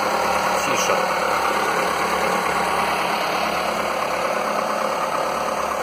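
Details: Skoda 1.4 16V petrol, morning cold start the day after the piston replacement; a smooth, steady idle with no knocking; the piston slap, which had knocked cold and more when warm, is gone.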